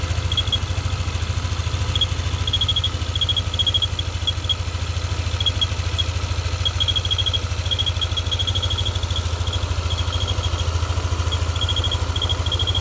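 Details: Yamaha NMAX V2 scooter engine idling when hot gives a thin, high intermittent whistle in short bursts, which disappears when revved.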